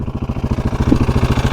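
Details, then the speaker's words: Husqvarna 701 single on a trail trip, after an oil and filter change: loud metallic clatter on every firing pulse at idle from the timing chain side; owner suspects the timing chain tensioner. "that clattering. I think it's coming from the timing chain right in there. Nothing I can do about it now."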